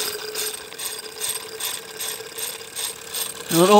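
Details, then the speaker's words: Wilesco toy steam roller, regulator slowly opened with cylinder still cold: slow, even hissing chuffs, roughly two a second, as condensate is blown out. Normal start on a fresh steam-up. "there will be condensation in there because i can just touch it so it will be pretty much cold let's hesitate it's wanting to go"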